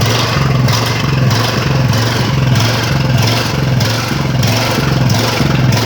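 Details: Ridgid generator with Honda GX 390 engine, just restarted after repairs and months unused, choke used to start: loud single-cylinder drone surging and sagging about every two-thirds of a second as the governor hunts; unstable engine speed, not fully repaired.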